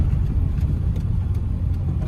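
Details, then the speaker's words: Suzuki Alto K10 after engine overhaul for misfire, driving at about 85,708 km, AC on, no check engine light; steady low rumble under way, no misses, knocks or rattles over road noise; normal engine running. "कोई जाँच नहीं engine, खराबी रोशनी, कोई भी यहां रोशनी नहीं है। Engine आवाज़ भी एकदम चिकना हाँ।"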